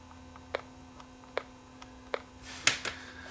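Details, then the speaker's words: Sony FD20 Watchman flat-CRT portable TV, unrepaired: at switch-on draws 0.017 A, no picture, only sharp isolated clicks through the speaker over faint hum; set dead, cause unknown. "when I turn off the switch is drawing nothing so this unit doesn't work I hear I hear click though through the speaker you can hear that probably"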